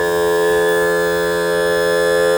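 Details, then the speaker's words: Mercury 60hp four-stroke outboard power trim/tilt after topping up low fluid, running fully down to circulate fluid and purge air; steady constant-pitch electric whine, no stutter. Normal trim pump motor run. "That is throwing more fluid to the other side, and I think it actually fills up on top of the cylinder. So it's a closed loop."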